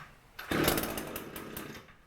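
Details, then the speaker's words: Echo two-stroke string trimmer pull-started on cold start (choke) setting: a few pulls, catches and buzzes briefly at high pitch, then switched off choke; normal cold start. "Once you hear that it starts, you kick it off of cold start, which is basically the choke, and chopped off the extra, I'm ready to go."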